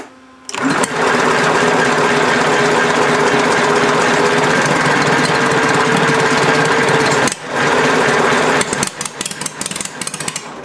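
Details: Homemade inline four-cylinder engine built from Briggs parts, first runs with an unadjusted carburetor that has an adjustable needle: loud, uneven firing about three or four beats a second with a brief stumble; runs rough, mixture likely off.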